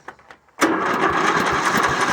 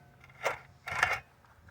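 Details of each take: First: Riding mower with its original engine reinstalled, which earlier made a ratcheting noise, and a new belt; it catches at once and runs about three seconds with a steady, even beat before shutting down; normal start and run. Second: Original mower engine turned over by hand, reinstalled after being pulled: short bursts of metallic ratcheting clicks between pauses, periodically locking up then turning again, as if something broke loose inside; cause unknown.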